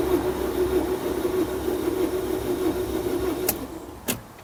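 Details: 2011 Peugeot Bipper 1.4 HDI that overheated on motorway, unstarted for 5 months, new battery fitted: steady fast even cranking with no firing, free-spinning as if no compression; more than overheating suspected, possibly something snapped, unconfirmed.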